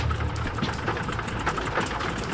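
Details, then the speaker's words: Canso flying boat, engine number 2 being run up: loud, uneven radial drone with stumbling, coughing beats, blowing smoke, not a clean rhythm. Cracked cylinder. "Something's wrong. It doesn't sound right. Ran like a bag of shit, really. You know, it coughed, it hiccuped, it blew smoke. It wasn't a happy engine."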